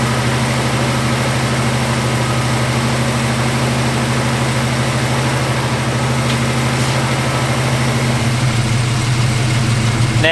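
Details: Classic six-cylinder after carburettor float/bowl cleaned and reassembled with old gaskets: steady, even low idle with a firm, unchanging beat and no knocks or misses; idling normally.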